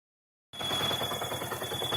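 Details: Yamaha R15 engine once hotter than 90°C, coolant flowing to radiator and loading the pump impeller: steady high whistle over engine clatter from a defective water pump bearing; fix is replacing the bearing and oil pump seal.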